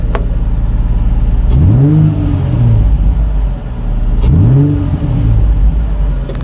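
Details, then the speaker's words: Nissan 350Z first start after the cleaned interior wire harness was reinstalled: two clean blips, revs rising smoothly and falling back to a steady idle with no misses or knocks; the engine sounds healthy. "hey guys that sounded very healthy that sounded really good"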